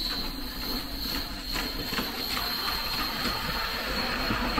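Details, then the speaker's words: Hornby 2022 Triang Remembered set modern locomotive on its first run straight out of the box; motor whirr over track rattle with uneven clicks and surges two or three a second; jerky running, owner suspects it sat in the box too long and needs freeing up. "now it's actually got quite a strange motion it's it's almost a little bit jerky um might be where it probably just you know I've been sitting in the Box too long just needs freeing up a little bit"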